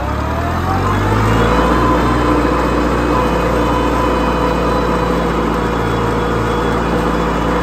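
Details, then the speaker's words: 1955 Farmall Cub tractor at wide-open throttle up a driveway after a transmission oil change: steady, even engine drone with faint hydraulic whine; the earlier torque-tube vibration is gone, though a slight howl remains in first gear. "and now there's nothing it just sounds normal I hear the Hydraulics a little bit like you typically would with a farm haul but I don't hear that vibration"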